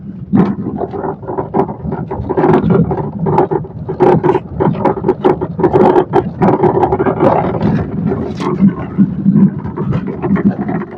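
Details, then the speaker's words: 2012 Honda City over rough road: irregular hollow knocks and rattles from under the car, mostly from the lower steering box (rack), worn rack bush; shock mount bush noise also suspected; fixed by rebushing without replacing the rack. "കണ്ടല്ലോ steering ബോക്സിന്റെ സൗണ്ടാ കൂടുതൽ അതു താഴെ ഈ സ്റ്റിയറിങ്ങിന്റെ താഴെ ഭാഗത്ത് നിന്നാണ് ശരിക്കും കേൾക്കുന്നത്."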